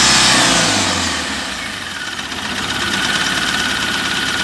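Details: Mahindra Maxximo common-rail diesel, after tracing the stopped injector spray to the faulty DRV, refitting the injectors and bleeding air: fires up with a brief rev, then settles to an even, steady clatter at idle; runs normally.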